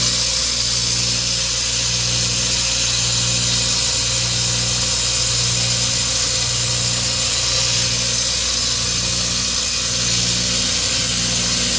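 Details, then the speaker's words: Dying Carrier 1.5-ton ductless outdoor unit: constant harsh hiss over a steady low hum; line neither hot nor cold and little air blowing; owner wonders if low on refrigerant, unconfirmed. "not hot or cold yeah this does not sound too good and that line is not hot or cold"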